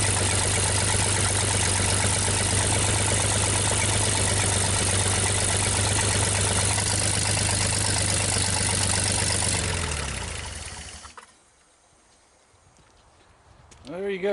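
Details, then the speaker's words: 1960 GMC 305 cu in V6, first start after sitting: an even, steady, smooth idle for about ten seconds, then shutdown winding down to silence, no smoke. Runs cleanly; may need a front seal. Normal idle. "sounds awfully good to me no smoke at all"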